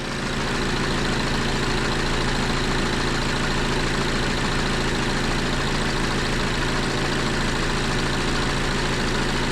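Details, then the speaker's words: Audi A6 2.0 TDI diesel with 0B5 DSG automatic, after dual mass flywheel replacement, vehicle lowered: idle is a steady, even clatter with no rattle or shudder; the earlier noise and shaking are gone. Normal idle. "So, now I'm going to start the engine. The sound is gone also. The shaking is gone."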